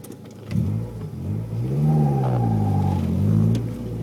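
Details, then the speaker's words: New stage 4 competition clutch with new flywheel in a GSR transmission, about 200–300 miles, squeals on take-up from a dead stop in first or reverse, fading once moving; owner suspects the clutch. "the noise seems to be from the first gear or reverse well letting go the clutch probably hear it by now"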